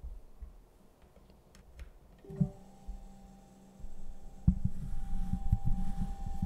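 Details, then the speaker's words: DIY 2DOF motion sim servo motors driven by an STM32 F4 with magnetic shaft sensors, PWM at 30 kHz, about half duty: quiet gear rumble and motor hum, the former high-pitched beep gone. "but it runs at 30 khz and there is no noise apart from the actual sound of gears and the motor itself but there's no beep anymore"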